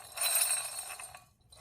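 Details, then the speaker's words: Volvo V70 wheel bearing, turned, gives gritty crunching and clinking instead of turning smoothly; driver's side grinding came from bad wheel bearings, the loose bearing also damaged the rotor. "well I've been working on my G wagon my Volvo little station wagon while I was hearing grinding on the driver's side come to find out I had bad wheel bearings"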